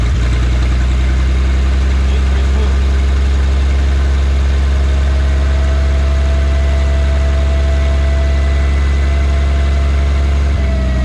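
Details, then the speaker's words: 1951 Studebaker Champion six-cylinder, first run in 35 years after a carburetor rebuild, running without coolant: steady, even low idle with a smooth regular beat and no misses; all six cylinders firing, with the back cylinder now alive. "okay don't let it run too much without any cooling system but it's actually really doing pretty good I mean it's hitting all six cylinders that back cylinder has uh come to life"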